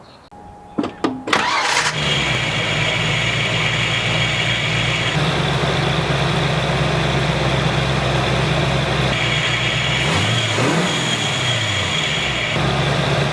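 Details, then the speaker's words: 5.0 engine after replacing tensioner pulley with bad bearing, old belt refitted: starts after a few cranks and idles with light persistent rattle; high-pitched whirring fixed, rattle remains, owner suspects idler pulley or valve lash. "alright guys so it sounds like it fixed the high-pitched whirring sound but it didn't fix the rattling noise so that I'm still gonna have to look into it"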